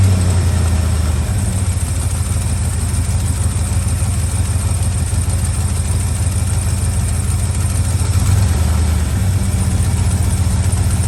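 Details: Old truck V8 after cold start: low rumble holding fast steady idle on choke, no knocks or misfires, no blue smoke. Normal idle.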